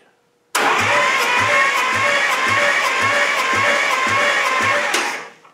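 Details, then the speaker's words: 1953 Hemi V8 cranking on the starter, valve covers off, during a compression test on cylinder number one: even chugs about two per second, no firing; reading hardly any compression, owner suspects rings stuck in pistons. "Not the greatest. I'll unveil it pretty soon, but it's not the greatest. Hardly any."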